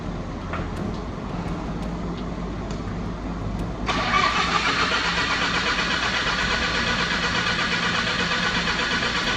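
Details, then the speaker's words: Lincoln welder engine, over 30 years old, just after an oil filter change let air into the fuel system: a steady crank of about three turns a second, then a louder, rougher run, but it won't fire cleanly; crank, no start. "Oh no, it won't start. When I removed the filter, it got some air in the system, and it's a real bugger to get it out."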